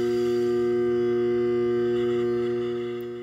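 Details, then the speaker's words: Garbage disposal plugged back in: steady electrical hum with no spinning or grinding, jammed by an object stuck between flywheel and shredder; fix is freeing it with a disposal wrench. "Plug the garbage disposal cord back in. Yay! Humming. An object is stuck."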